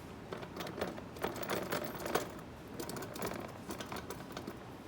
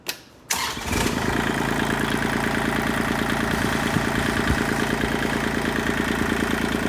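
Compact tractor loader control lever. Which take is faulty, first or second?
first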